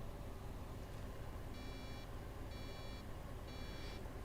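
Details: MacBook Air A1466 that shows MagSafe charge but won't boot: over a faint fan hiss come three high, evenly spaced beeps about a second apart, suggesting a RAM fault; owner suspects corrosion on the RAM voltage generator, not confirmed.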